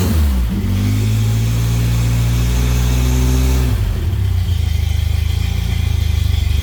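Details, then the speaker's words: Toyota-engined Samurai-type rock crawler running for the first time on a newly plumbed propane kit, after fixing a vacuum leak. It revs up cleanly, then drops to a smooth, even idle with no flutter or rattle. Normal running. "no flattering no rattling [Music] I like it we are a runner"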